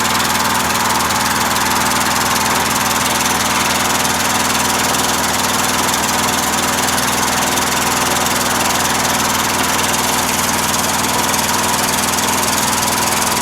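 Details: Briggs opposed-twin engine with Nikki carburetor, on choke, battery probably weak, previously wouldn't start as if flooded: hoarse, uneven running with irregular beat about three per second, rich and rough, not settling; owner suspects float levels or worn gaskets, fuel pump leaking.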